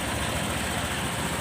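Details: Honda PCX150 after top-end rebuild (damaged valves had harmed cylinder, piston, rings; lash intake 0.10, exhaust 0.18): formerly hard-starting, stalling when slowing, needing throttle held. Now a soft, even idle with no ticking or clatter from the top end.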